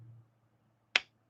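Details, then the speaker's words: Stiff G10-handled slip joint pocket knife with a half stop, pull around 7: one crisp, sharp snap as the blade closes in a quiet room; normal slip joint snap shut. "Pretty decent snap shut."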